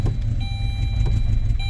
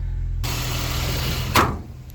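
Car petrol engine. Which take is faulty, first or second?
first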